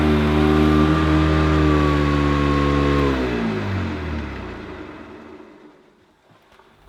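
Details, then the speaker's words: Hoover Decade 80 upright vacuum, a US import, in normal power mode before the power surge switch: loud steady motor hum with a high whine winding down; owner finds it pretty noisy, cause unclear. "it's pretty noisy on normal what's it going to be like when I flick the power surge switch might pull my carpet up it seems very effective"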